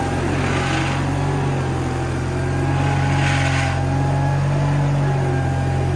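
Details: Case 1816C skid steer that sat in a barn 10+ years, driving after clutch-engage lever thrown: steady, even diesel drone, firm low hum, slight swells as it moves off; normal running.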